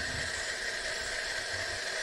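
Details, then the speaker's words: Shimizu water pump that had only hummed after long submersion in water and heavy rusting, now freed to turn by hand and tested on mains power with fan fitted: runs smoothly with steady hiss and hum, no grinding. "Ternyata hidup lancar mantap ini sudah berputar dengan baik"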